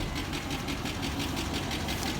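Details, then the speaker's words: 1996 GMC 1500 V8 truck, unrun for a month and before that since 2016, at idle after a warm-ish start: light fast top-end tick over the idle, owner thinks the tick got worse; slight smoke, cause unknown. "We're just smoking just a little. I think the tick got a little worse."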